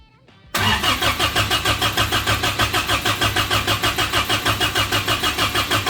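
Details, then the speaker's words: Suzuki Samurai rock crawler engine newly converted to propane: steady cranking about three beats a second with no catch; bottom of intake manifold left open (plate off), so no vacuum to activate the propane mixer. "so oh I'm an idiot I have the entire bottom of this manifold open I'm not getting the vacuum to activate this I can stick my hand in there so yeah that it takes vacuum to pull this and to make the propane go in and all everything I got's going out there"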